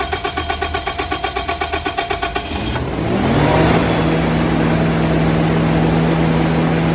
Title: #2 Long Crank but eventually goes